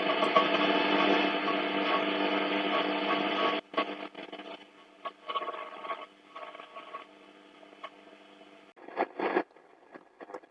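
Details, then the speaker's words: Eddystone EC10 shortwave receiver after a full multi-band alignment, tuned around 20 MHz indoors without an outside aerial: dense hiss and buzz, then choppy crackles and fragments while tuning. Indoor interference swamps reception. "too much interference in here anyway"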